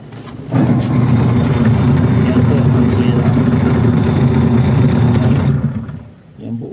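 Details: Washing machine: loud, rough low rumble with a gritty churn like stones underneath, from a damaged gear set; the plastic gears inside fail from overloading.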